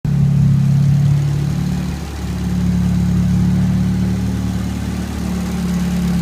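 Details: Nissan SR20DET turbo petrol engine idling with a low, uneven knocking rattle of about four beats a second.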